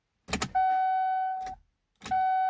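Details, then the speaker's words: 2015 GMC Canyon All Terrain won't start: key clicks then steady warning chime twice, warning lights on, no starter or engine sound; no-crank, cause unknown. "all the does is show us all these lights you won't even try to like crank or nothing"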